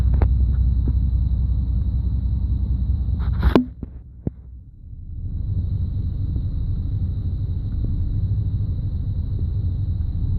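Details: 1991 5.7 TBI V8 at low idle, owner noticing random no-spark on all cylinders, fine at higher idle; low, uneven rumble suddenly sags about a second, nearly stalling, then recovers, random misfire.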